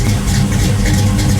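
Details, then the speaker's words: 1973 Chevrolet Camaro Z28 RS V8 at idle after swapping stamped steel rockers for 1.6-ratio full roller rockers; deep loping burble with heavy low rumble and aggressive cam note, running smoothly; normal lumpy idle. "Now I've got the new roller rockers with a 1.6 ratio on. I think the car will be maybe a little bit faster, but it's going to sound a lot cooler. As you can tell, it sounds pretty good."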